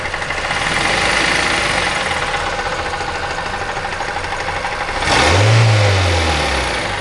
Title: Непонятный стук в двигателе мазда 3 2005 г.